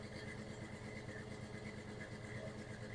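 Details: 1996 Ford F-150, engine reportedly rebuilt ~30,000 miles ago, recorded at exhaust pipe: uneven loping idle stumbling about every other second, no smoke; audible miss, compression test poor, suspected dead low-compression cylinder.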